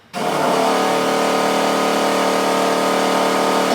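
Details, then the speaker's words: Ex-NASCAR car with 4-speed T-10, not starting: electric fuel pump priming with a steady whir for about three seconds, tone changing, a bit rough as if pulling air with a half-air filter; fuel pressure followed, cavitation suspected. "No pump, priming. Sounds different. It does. It changed tones real quick."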